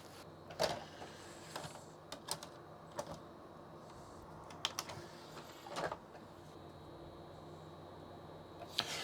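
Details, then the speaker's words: Original Xbox DVD drive with burnt CD-R, before thermal paste and drive cleaning: irregular whirring and clicking seeks between quiet gaps, can't read it while scratched CD reads; possibly drive issue or just that CD-R. "it just really doesn't like it um okay could be an issue with the drive could just be that it doesn't like that particular CDR"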